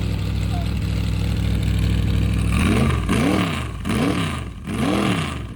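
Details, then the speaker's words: 388 cubic-inch small-block Chevy with a vintage Hilborn mechanical fuel injection and MSD ignition, fuel pressure at least 50 psi, first startup after fixing fuel leaks: strong, steady V8 idle with four sharp clean blips back to idle. Running healthy. "Try again without fuel leaks. It sounds good. Yeah, it does. I like it."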